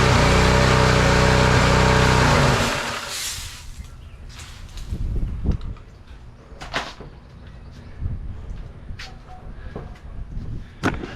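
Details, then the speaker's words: Simpson pressure washer engine after carburetor replacement (old needle valve leaked fuel into engine): loud, steady roar for about two seconds, then dies when pressure builds, leaving clicks; stalls under load, cause unknown. "Well, I tried a pressure washer with it and it dies. So, back to the drawing board, but it's running good."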